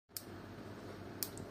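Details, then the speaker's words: Built-in gas stove igniter keeps clicking with no knob turned: crisp spark ticks roughly once a second in a quiet room; liquid spilled while cooking ran under the buttons and shorted the switch, fixed by removing the knob and drying with a hair dryer. "Yes, friends, there is a clicking noise like this from the stove, let's see how we can solve this problem ."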